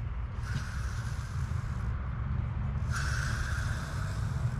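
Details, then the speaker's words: Idler pulley removed from truck, hand-spun after parts-washer cleaning: gritty, crunchy rolling rasp swelling and fading each spin; bearing dry of grease, earlier squeaking, to be repacked. "you can tell when these pulleys are starting to go bad they're kind of crunchy they just make a weird sound"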